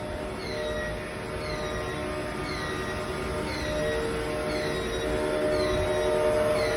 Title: 20250728_Abnormal Sound from Sputter System